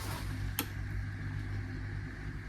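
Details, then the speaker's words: Range Rover battery after a 30-minute boost, now on a battery charger: sharp relay clicks about every two seconds over a steady low hum as the charger cycles on and off; the charger shows a suspect 75%, and the battery was judged dead and replaced. "You can just hear the relay clicking on and off, and I think that's a lie, 75%. I'm gonna say that this battery is dead."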